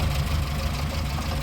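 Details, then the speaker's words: 1954 Morris Minor Series 2 after fixing a loose tappet that rattled while driving at about 50 mph: even low idle, soft steady beat, no top-end ticking as oil reaches tappets through rocker gear; normal idle after repair. "That's now gone quiet. Yeah, silent. What we're hearing there actually at the moment is the oil just starting to lubricate the top of the tappets through the rocker gear. That is lovely."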